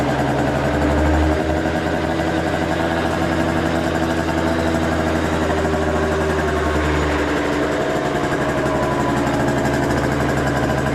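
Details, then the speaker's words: Scooter left sitting over a year, probably last fueled ethanol-free, restarted after carburetor concerns: smooth, constant idle over ten seconds with no stumbling or knocking, spitting a little oil; needs only a battery charge. "Well, gang, that was an easy revival. That thing fired up. I wouldn't say right up, but all it needs is a good battery charge."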